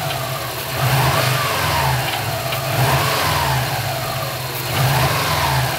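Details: Subaru turbo engine revving up and dropping back repeatedly: light metallic rattle heard from the turbo area as revs fall; cause unknown; metallic rattle on deceleration.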